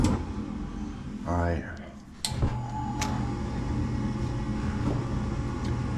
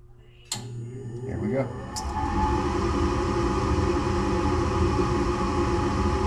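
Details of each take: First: Locked-out furnace with an ECM blower on a no-heat call: a click, then the burners catch with a thin, uneven whoosh because flame isn't carrying across all burners; the tech then pulls the spark igniter and flame sensor to clean. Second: Furnace after the burner orifices were checked and the flame sensor was plugged back in, following a lockout on a no-heat call: igniter clicks, then burners catch with a soft whoosh and settle into a steady, even roar, firing properly.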